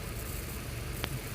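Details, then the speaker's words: 2010 Toyota Camry 2.5L, bank 1 cylinders 1 and 2 misfiring, spark confirmed good, codes P0014, P0017, P0171 (lean, overadvanced cam): low uneven idle with faint stumble and sharp tick; misfire, cause suspected not confirmed. "um we're having the issue with a rough idle on this car and quite a few misfire"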